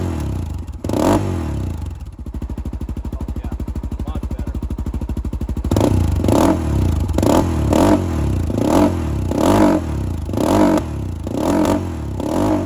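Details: 2007 Honda 400EX ATV after reassembly, choke off: even idle, then each throttle blip muffled and slow to pick up instead of snapping; running too rich and bogging, no longer dying.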